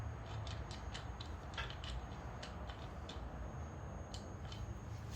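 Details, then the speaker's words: Front CV joint from a Toyota FJ Cruiser, which was noisy when driving in 4WD, worked by hand after removal: irregular sharp clicks and snaps with one catching spot; a badly worn outer CV, and the owner suspects a cracked cage. "Yeah, this one's actually pretty bad. You can, right there it's stuck."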